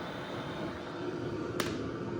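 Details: BougeRV portable diesel heater with side exhaust: steady, even blower rush with a soft combustion roar and one brief click, putting out heat. Running normally at full output.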